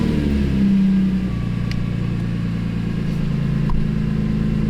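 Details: BMW E46 M3 after its failing alternator was replaced: it catches, rises briefly and settles to a smooth idle, with charging voltage now about 14 V instead of the earlier 10–12 V.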